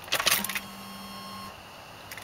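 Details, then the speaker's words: 1994 Ford Bronco (same engine as 1995 F150) at key-on without starting: the fuel pump hums for about a second and cuts off; normal brief prime, unlike a failing EEC-IV computer's overlong prime. "you hear the fuel pump only runs very briefly it doesn't run continuously when you turn the key on and don't start it"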